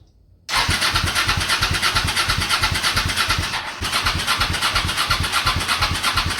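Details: Honda Shadow V-twin motorcycle, same oil for 20k miles, parked 4 years, Seafoam in oil and intake overnight, cold morning: catches after cranking, chugs irregularly and sags; hard starting, owner suspects weak fuel pump starving it.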